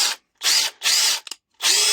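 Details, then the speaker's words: Parkside Performance impact driver repaired with an AliExpress control board: short full-speed bursts with high whirring hammer rattle, strong and even each time; healthy, powerful operation. "Par contre, elle dépote."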